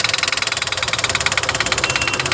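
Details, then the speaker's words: CNG engine with sharp metallic tapping, about fifteen a second, over idle; debris from a spark plug fell into cylinder three and is hammering between piston and head, leaving marks on both. "तीन number cylinder पे कचरा बचरा कुछ है उसका plug का गया है इसमें प्लग निकलवाया था इन्होने तो उसका कचरा गया था य निशान हैय पूरे उस पर जाकर लगा है इसकी वजह से इसमें टक टक की आवाज बन रही थी"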